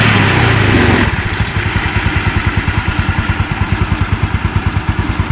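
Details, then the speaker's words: Yamaha Mio Sporty after repair: brief rev drops to a steady, healthy single-cylinder putter with no CVT rattle. The earlier rough noise came from the kick-starter pin rubbing the pulley shaft. "Oke, nggak ada perubahan, sip, semuanya lancar jos."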